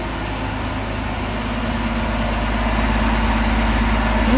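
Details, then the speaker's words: 1965 Ford Econoline pickup after clutch repair, test running through second and third gear with some choke and revs held up; even, steady hum, no clunks, grinding or whine, sounds healthy; slightly out-of-round tire noted. "Give it a little bit of choke. Keep the RPMs up. Seems fine to me."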